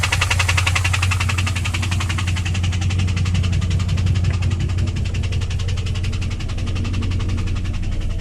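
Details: 2001 WS6 LS1 5.7L V8 at idle after oil ran dry (pressure dropped to 0) and was refilled: regular light tick about three per second over the rumble; began at high rpm only, cause unknown.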